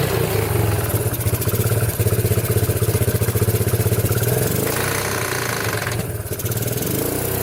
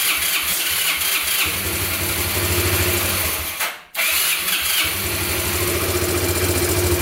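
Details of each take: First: Abandoned Yamaha Breeze on a cold Wisconsin day, test-driven after fixes: a small single runs evenly, its pitch rising and falling smoothly as it pulls away under throttle, with no misfire or bogging. It runs and drives fine; normal running. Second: Abandoned Yamaha Breeze ATV on a cold day, started with gas poured into the carburetor and the air filter off: it runs unevenly, dies out near four seconds, then catches again. Rough idle and stalling; owner suspects spark plug, missing air filter, choke or air leak.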